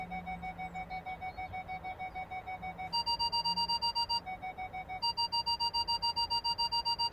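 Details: Ford Galaxy parking sensors after repairing the faulty speaker (fault B1B53): clear regular beeps about three to four a second, pitch and pace shifting as someone passes in front; sounder working properly.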